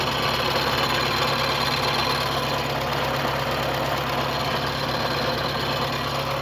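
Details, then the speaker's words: VW Gol G3 at idle: a faint, rough, bearing-like whirring from the belt area at the front of the engine. A worn water pump bearing is suspected, and the pump is then replaced. "Você viram só? Tá com um barulhozinho estranho."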